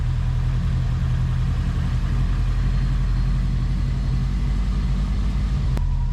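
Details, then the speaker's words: Subaru boxer at idle, crankshaft sensor reconnected: deep, even idle with steady low hum, no knocks or misfires; runs really smooth. "Runs smooth like a cat. Really smooth."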